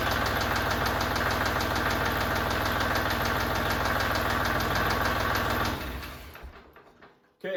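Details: Kubota L3560 tractor diesel after oil and filter change (200-hour service): even, steady diesel clatter at idle with no knocks or misses before shutdown; normal healthy idle.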